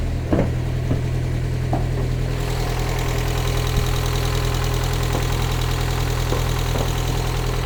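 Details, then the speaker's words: Restored Mazda MX-5 on a cold, frosty morning idling low and lumpy with an uneven beat, a misfire rolling on three cylinders; owner suspects the bonding lead and plans to replace it, then try a coil pack and check the injectors. "I'll let you have a listen to it and you'll see exactly what I mean it's really rolling on three"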